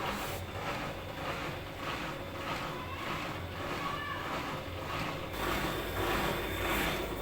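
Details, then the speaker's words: Siemens washing machine, unserviced, set to 1400 rpm spin: smooth, even rumble with gentle regular pulse as drum drains and gathers speed; no knocking or grinding, normal spin-up. "it's raining us as you can see now the drum is protecting it's about to pick speed"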